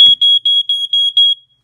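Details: Early-1990s Ventek/Visual Alert FA100 smoke alarm/strobe, just plugged in: about six sharp high-pitched beeps, roughly four a second, then silence; normal power-up horn check.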